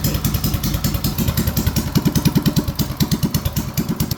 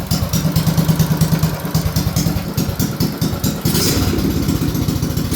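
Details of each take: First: BT200X on its first test run after a 224 big-bore build with high-flow parts and a new carb: slow, low, even single-cylinder thump with a steady beat and no misses; a clean idle, though owner thinks it may be slightly lean. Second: BT200X on its first test run after a 224 big-bore build with high-flow parts and a new carb: slow, loping thump about two beats a second, slightly uneven; the idle is set very low, and owner suspects a slight lean condition (bogs when blipped from low idle).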